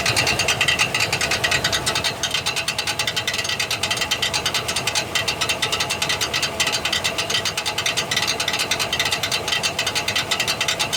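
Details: 1999 Chevrolet Silverado 1500 4.8 4WD, bad starter: harsh metallic ratcheting grind while cranking, uneven chatter about twice a second, as the faulty Bendix shaft bounces off the flywheel teeth. Starter drive grinding.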